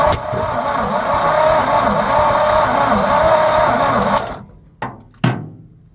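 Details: Abandoned 1948 Ford F5 bus after sitting 25 years, fuel poured down carburetor: sluggish, labouring crank about three turns a second, stopping after four seconds; owner suspects weak battery may need replacing.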